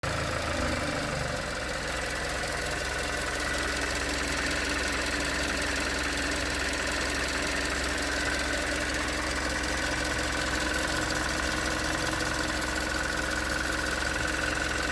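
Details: 2019 Hyundai Tucson 2.0L GDI Nu, 24,000 miles, cold idle on Mobil1 5W-20: steady hollow knock over the running sound; owner suspects piston slap, slightly better after switching to 5W-30, not confirmed.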